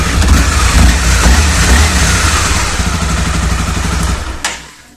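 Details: Honda CBR250R after camchain tensioner replacement: single rev blips rise and fall cleanly with a steady exhaust note and no top-end ticking, then the engine shuts off; tick fixed.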